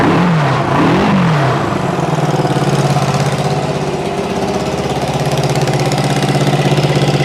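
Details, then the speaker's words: 1974 Honda CB360 parts-bike build, first start: small twin idling with a quick, sharp ticking of about three a second riding on the exhaust beat; big exhaust leak, and it's smoking, presumed from oil and gas. "nothing definitely got an exhaust leak and it's definitely smoking"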